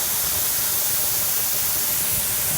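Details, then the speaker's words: Pressure canner on an electric stove processing yellow squash: steady even hiss of steam from the vent with no sputter or surging, venting before the regulator goes on; normal steam venting. "Okay, I don't know if y'all can hear that or see that, but it's venting."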